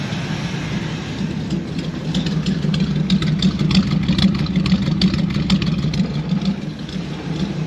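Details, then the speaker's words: Small block Chevy V8, first start after setting basic ignition timing (it previously wouldn't start): steady, even idle with no misses or knocks; sounds good. "See what happens. And that's what I was hoping to hear. It's good."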